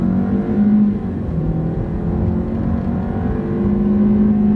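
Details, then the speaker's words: Ford Escape at 127,000 miles under hard acceleration after swapping coils and erasing a misfire code: pitch climbs evenly with no stumbles, pops or hesitation; no misfire returns, check engine light off, running healthy. "sounds good no misfires I had impressed by escape with this many miles on it"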